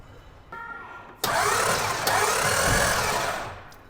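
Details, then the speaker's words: 1990 Ford F350 with a 7.3 IDI diesel, sitting 6 years, freed by the starter; the starter bites hard, then the engine turns over smoothly and steadily with no binding; an earlier bad noise was traced to the belts hitting the fan. "Pistons moving oh yeah those Pistons are moving there we go it is buat free"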